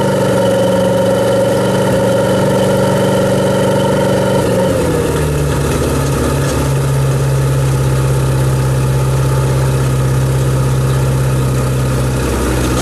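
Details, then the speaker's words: Shoal Runner jet boat engine, started after the boat had filled with rainwater and been stored; engine idles with an uneven, rough, dry-sounding knock from the lower end despite plenty of oil pressure. Owner suspects bearings, not confirmed. "well that crank sounding awful dry that's what that is it's got plenty oil pressure i don't like the way it sounds"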